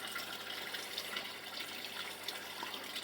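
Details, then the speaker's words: Aquaponic bell siphon with flow valve left fully open, high inflow: continuous hissing, bubbling water with irregular gurgles as siphon sucks air and water; struggles to unprime, owner plans to enlarge the bell's slots. "Et on voit que le siphon a un petit peu de mal à se désamorcer."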